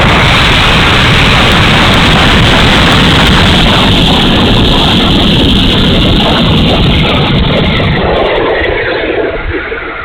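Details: E-flite A-10 Thunderbolt II twin 64mm ducted fan, bad motor, run gently: loud rough roar with ragged uneven edge and fluttering beat, dropping as it winds down; motor sounds terrible, cause not confirmed.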